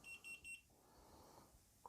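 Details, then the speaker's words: Xiaomi Smartmi Evaporative Humidifier 2 (CJXJSQ04ZM), switched on after cleaning with the reservoir empty: three quick high-pitched beeps in about half a second, then quiet; the low-water error shows no water in the tank. "Вот он выдает ошибку. Воды нет."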